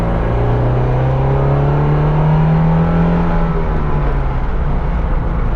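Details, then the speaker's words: 1978 Alfa Romeo GTV 2000 on the road, its 2-liter engine revved under acceleration as water temperature comes up and oil pressure reads perfect: the note climbs evenly through the revs with no knocks or rattles; normal. "And that 2-liter loves to be revved. Out of all the Italian cars that I have, this thing really gets up and goes."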